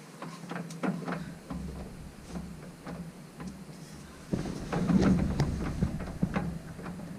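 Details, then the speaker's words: Ute with the diff coming out for a new locker, in gear, driveline moved by hand giving irregular dull clunks; slack in the transfer case, not the slip yoke, owner suspects the low-four selector in neutral. "i know what that movement is it's not the slip yoke that's in the transfer case as usual i hate these things the transfer case in them but that sound there makes it sound so bad guarantee it's just a low four selector on the neutral"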